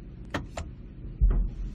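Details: 2010 Ford Expedition, idle, microphone in cab: one heavy low thud when shifting into drive only, not reverse; worn rear differential support bracket, fixed by replacement.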